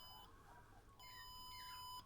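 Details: Trackmate skateboard slalom timing system with infrared sensors: a short high beep, a pause, then a longer steady beep, the start countdown signalling the run has begun.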